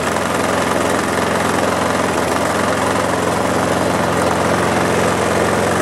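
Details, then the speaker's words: Mower engine running after its carburetor was cleaned to fix a carburetor problem, with a steady, even buzz and no misses, surging or knocks. Normal running. "the front mower's been through it but it's still running all right"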